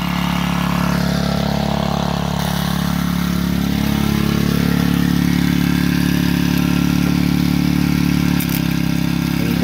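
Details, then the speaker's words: 3.5 hp gas engine belt-driving a GM alternator as a 12 V battery charger, running while charging a battery; steady even throb about three and a half beats a second with no misses; normal running under charging load. "if i go flip that switch you'll hear the motor bog down a little bit because that's going to then energize the alternator [Applause] right now with charging"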